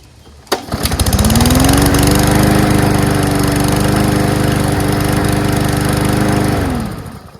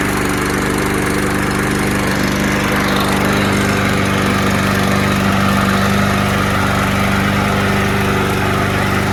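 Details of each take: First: Salvaged auto-choke lawnmower: pulls over and catches at once, then holds a smooth, even buzz with no misses before shutting down; it runs perfectly. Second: Curbside-found mower with auto choke, no primer, black oil and gas in the tank, first start: it lopes unevenly and sounds a little rough. Fresh gas later made it smoother and more powerful.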